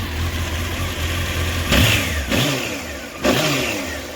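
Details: 1993 Honda CBR900RR California spec four, restored with new header gaskets, carb work and fresh fuel: smooth idle around 1,100 rpm, then three crisp blips that climb and fall back cleanly. No rattle or clutch noise, no smoke.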